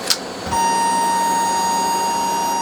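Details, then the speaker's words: AIWA AD-F990 3-head cassette deck, after replacing NJM2043 chip on the Dolby auto-detect board: steady test tone over loud constant hiss on playback, worse than before; failing part not yet pinned down. "oh dear that's worse than before that's a familiar racket"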